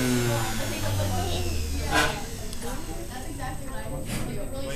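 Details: Vintage sewing machine series-wound motor after WD-40 lubrication: buzzing whine drops in pitch as it slows, then keeps spinning with a smooth light hum; freely lubricated and healthy.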